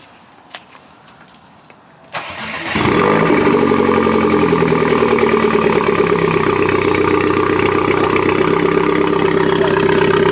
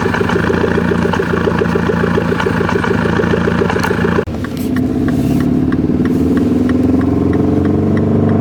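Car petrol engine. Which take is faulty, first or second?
second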